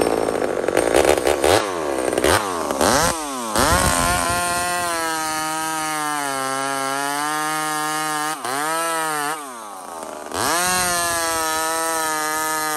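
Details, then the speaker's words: Small Homelite chainsaw, described as 28 full house on a stock chain, cutting wood: a clean, high two-stroke scream drops as the chain bites and recovers instantly between cuts. Normal cutting; pulling strong and healthy. "beautiful size of wood for that saw right now 28 full house stock chain so it's got way more potential to cut way faster"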